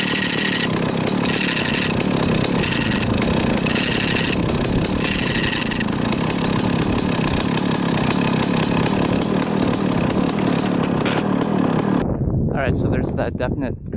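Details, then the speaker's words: 1995 Kawasaki KX250 two-stroke, first start after sitting: rough idle with raspy grinding buzz each time the clutch lever is pulled in; owner suspects the dented, JB-welded clutch cover, cause unconfirmed. "'m holding in the clutch it makes like a buzzing sound i'll quick start it up again so you guys can hear it but uh does not sound good so something's going on with the clutch"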